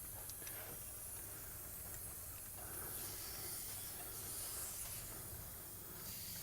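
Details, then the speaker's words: Leak-down test on cylinder 1 of the 390 V8 in a 1972 Ford F100, which read 60 psi compression and ran poorly. Engine off, a steady hiss of air escapes low down through the crankcase: compression leaking past the piston rings. "listen to where your air leak is coming from all right now coming out of the intake let me go check the exhaust pipes real quick okay well um say rings huh i'd say rings at this point"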